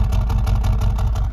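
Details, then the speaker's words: 2021 Mercedes-AMG CLA35 4matic turbo idling: deep exhaust note with lumpy pulsing beat that sounds like a misfire, yet no check engine light and nothing felt; likely just the exhaust's character, cause unconfirmed. "That's what it sounds like. But there's no check engine light and you can't feel it. But that exhaust makes it sound like it has one."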